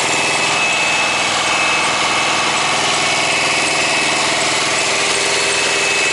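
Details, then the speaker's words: Thermo King truck APU diesel: steady diesel run with thin high squeak coming and going; paper-thin drive belt slipping, barely turning; unit not cooling well and low-voltage indicator coming on. "as I was just running I could hear like a squeaky squeaky squeak noise and I decided to look at this and the belt it's like paper thin"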